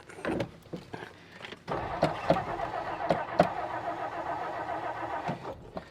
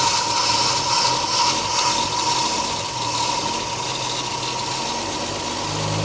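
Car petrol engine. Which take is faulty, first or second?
first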